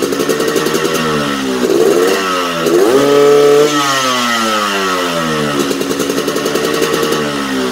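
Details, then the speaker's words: Yamaha RX-King two-stroke, newly bought, new original exhaust: crackle rising and falling with throttle, wet and hesitant at low revs before clearing; weak, sluggish low-end response and hard to rev, cause undetermined. "untuk masalahnya ini motor dari teman cerita counter bawahnya lemas jadi motor kayak loading itu dapat rpm nya sedikit agak susah ya untuk mesin teriakan pokoknya responnya dia mesin kurang"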